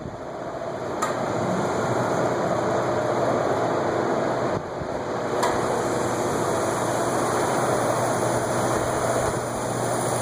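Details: Antique Westinghouse Gyro ceiling fan running: steady hum with uneven dry ticking about four times a second; restorer says it needs the cylinder pulled down and oiled because the bearing is dry.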